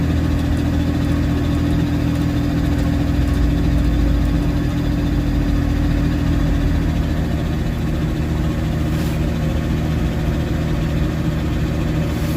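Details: Supercharged engine on a standalone ECU with no idle control valve fitted, restarted after standing about 15 years, smoking: low unsteady tickover that sags and wavers, cutting out at idle; stalling at idle from missing idle control valve.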